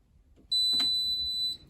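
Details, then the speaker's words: Hotpoint WMBF 742P washing machine, top removed: one shrill beep about a second with no clunk from door interlock afterward; interlock not engaging, later found overheated and failed. "So I can't even hear it going clunk clunk on the door interlock, which is a sign that the door interlock maybe isn't working."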